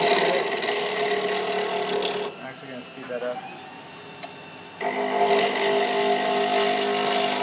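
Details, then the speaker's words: Pen blank turning on a lathe, still square with jagged edges; fast, fairly even chattering rattle as the tool bounces on the flat edges, showing the blank is not yet round; out-of-round blank rattle. "so a way to check it without turning off if it's around is if you hold this and you hear it rattling it's not perfectly round cuz that flat edge is hitting it and making a nice bounce"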